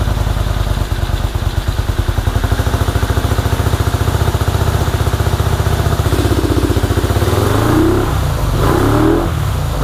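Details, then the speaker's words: 1984 Honda VT250 V-twin project bike, first start, fuel dribbled into carburetor: uneven, lumpy idle with pulses about three per second, then unsteady revving; runs poorly, owner suspects choke stuck on, carbs to be checked. "so all right well the bike runs not very well um albeit but it does run i believe the choke is stuck in the um on position or at least that's the way it feels"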